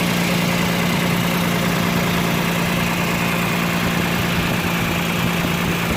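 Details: 2009 Toyota Land Cruiser GXR 1GR V6 idling, small exhaust leak on left side of engine, likely below the door area rather than the manifold face; rough chuffing puff on each firing pulse, leak hole about pinhead size.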